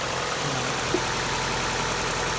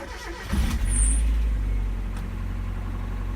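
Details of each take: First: 1.8L NA Mazda Miata idling: fast, light ticking over the engine hum from noisy hydraulic lifters. The tick began during warmup, became intermittent, then constant; it is being treated with an oil change plus additive. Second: 1.8L NA Miata, which had a hydraulic lifter tick, after an oil change with an added treatment: it starts quickly and settles into a smooth, even idle with no ticking from the top end.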